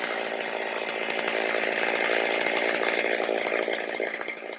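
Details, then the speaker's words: Stihl MS310 chainsaw cutting very hard cedar after carb adjustment (four-stroking rich, idle screw reduced), strong even high-pitched scream through the cut without bogging; running properly, though the dull chain and rakers needing adjustment limit cutting. "She'll cut a lot better, but she's running like she's supposed to, and that cedar wood is extremely hard."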